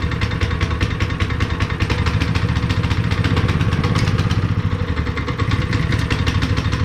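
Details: Honda GX160 5.5HP on a long-sat concrete finisher, after new fuel line and cleaned spark plug, warming up: quick even firing beat at steady idle with no misses or stumbles; running smoothly.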